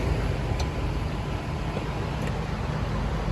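Even, low hum and fan rush holding steady throughout, with no buzzing, clicking or stalling; the condenser is running normally.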